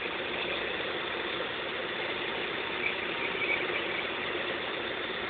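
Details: Opel X20XEV engine at steady idle: constant high-pitched squealing hiss on top, no clear rhythm; strange noise, cause not pinned down.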